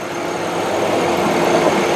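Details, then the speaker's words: 2000 Ford Windstar SEL minivan, engine idling: steady, even, smooth idle hum with no knocks or ticks; engine sounds really good and runs very well. "Now, of course, the heart and soul of every machine is the engine and transmission. Now, this one sounds really good, and it does run very well, by the way."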